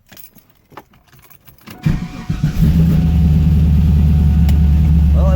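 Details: Chevrolet Camaro LS V8 first start after replacing a damaged cylinder 2 rocker arm and re-torquing the valvetrain: cranks and catches, then settles into a steady deep idle with no valvetrain ticking.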